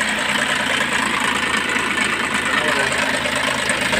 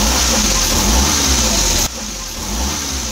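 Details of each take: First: DA64 engine, reportedly freshly overhauled, idling with busy metallic rattle and grind from worn timing chain; engine also running very hot though radiator seems fine. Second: Suzuki DA64 engine after replacing timing chain set: runs smoothly with a light rev, no grinding; earlier it ran hot and sounded like grinding stones despite recent overhaul.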